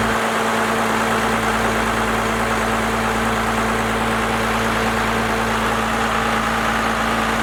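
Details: First-gen Cummins diesel, 4-inch straight pipe, timing advanced and idle speed raised: deep, steady idle with an even beat, no misses or knocks; idling smoothly at the newly adjusted speed.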